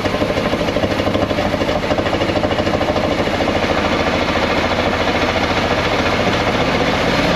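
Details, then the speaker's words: 1979 Chevrolet C20 with 454 big block, sitting about 13 years, first revival start. Rough, lumpy idle with one cylinder dropping out. Owner suspects spark plugs need replacing. "okay well it fired up okay good enough definitely missing out on the cylinder we need some new spark plugs"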